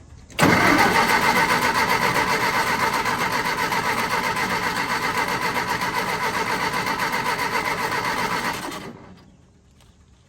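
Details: Willys-powered Army skid generator, cold start with WD-40 in cylinders, switch just flipped: starter cranks steadily about four strokes a second for eight seconds, never catches, winds down; cranks no start, owner suspects no spark or no fuel.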